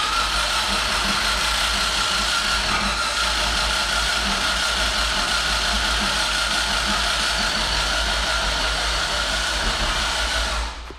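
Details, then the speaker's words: Built LSV Honda EF hatch after Monotech harness install, distributor unplugged, cranked until oil pressure light goes out: fast steady starter spin with soft even whooshes, no firing, rpm getting smoother; normal cranking to build oil pressure. "yeah yeah keep going it'll take a while but you hear how the rpm is getting smoother"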